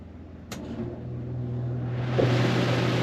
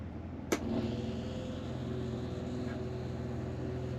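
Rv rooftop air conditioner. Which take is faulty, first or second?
second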